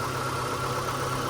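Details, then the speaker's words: 2002 Mitsubishi Lancer LS, revived after sitting about four years, idling close to two minutes: soft, even four-cylinder hum, no knocks, ticks or hunting; healthy, quiet idle. "all right so if y'all listen it's been oddly for close to two minutes now just listen to how quiet this thing is"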